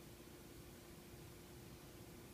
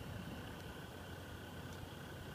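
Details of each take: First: Tivo Series 3 HD (TCD652160) replacement Apevia CF7025S 70 mm cooling fan: soft steady whoosh with faint even hum, no ticking or buzzing; much quieter than the 3500 rpm Evercool but less airflow, running healthily. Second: Evercool 7025 70 mm replacement cooling fan, 3500 rpm, in a TiVo Series 3 HD (TCD652160) after boot settles: constant airy whoosh with faint high hum and slow pulsing "jum jum" sound; good airflow but noisy.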